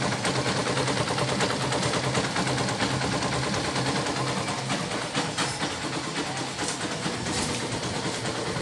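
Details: Yamaha SZ 150 motorcycle engine at steady idle with a busy, rattly mechanical patter but no heavy knocking. Timing chain and tensioner were already replaced but it stayed noisy. A broken compression release was removed and its weights fitted with a stopper. Sounds settled and healthy.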